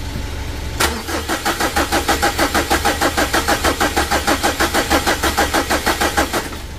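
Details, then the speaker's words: Mitsubishi Strada Triton HDX diesel after rebuild, jump-started from another battery, injectors serviced: steady starter cranking about three turns a second, never catches; fuel not rising, hoses checked for leaks; crank no-start, no fuel delivery. "Op. Belum naik teman-teman ya minyaknya. Kita perhatikan lagi selangnya."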